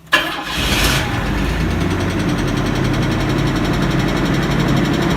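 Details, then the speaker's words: Chevy S-10 after fuel system fixes and water pump replacement: starts quickly and idles with a dull repeating knock underneath; knock source not yet found, heads may come off; engine knock. "to that knock. Nothing like a GM knock."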